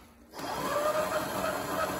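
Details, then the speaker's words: 24 V FXB Fish 16-inch electric bike after the slow-takeoff repair, tested in low then high mode with the chain tightened; clean, even whine climbing smoothly with no grinding or stutter, normal instant takeoff. "we got her back together here's low mode instant and let's pop her into high"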